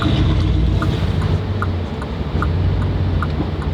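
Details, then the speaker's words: Lamborghini Gallardo idling: heavy, lumpy low idle with uneven surges and a faint recurring tick, getting worse and physically shaking the car, nearly stalling; cause unknown, and it seemed better after a restart. "It's getting worse, which is really strange. I was hoping it just glitched out from something. I could reset it. The fact it's actually physically shaking the car right now."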